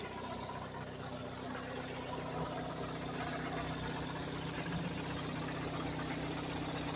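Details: Faint regular knocking about two or three per second over a quiet idle; oil level checked OK, battery seemed low; cause unclear, variable valve noise or rod knock suspected.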